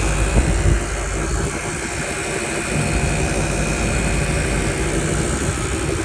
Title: 2023 M5 making weird noise